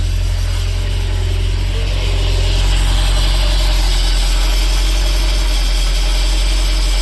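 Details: 2011 Bayliner 185 sterndrive, Copart project boat, flushed out with diesel: deep, steady idle with an even, regular beat, no knocking or rattling; runs smoothly. A slight whine is suspected to be power steering.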